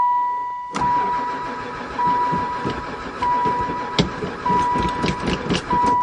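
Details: Van that sat about 4 years (2002 mentioned) and barely ran before storage churns in uneven bursts with a steady chime behind it, never firing despite gas added; owner suspects no spark, cause unconfirmed.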